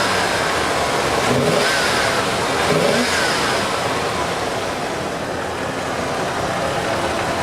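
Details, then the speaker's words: 1989 Ford F-150 five-cylinder-sounding engine after EFI work, running after a hard start: smooth, clean revs rising and falling with no miss, knock or stumble, sounding like a 302; normal revving, though it still hates starting. "it runs great i'm sure it's probably got plenty of power now it sounds like a whole new motor sounds like a 302 instead of a five cylinder"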